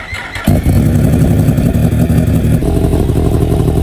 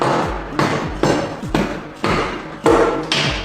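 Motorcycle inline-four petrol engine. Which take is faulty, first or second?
second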